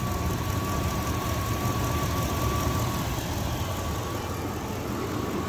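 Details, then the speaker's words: 1999 Dodge Durango SLT after correcting the firing order of swapped plug wires, an oil change and fresh 91 fuel: even, steady idle rumble with a faint constant whine and no stumble or knock. Now a normal idle; the knock is blamed on old oil plus the swapped wires. "ah that sounds way better we're gonna say that that noise was a combination of old oil and having those plugs backwards"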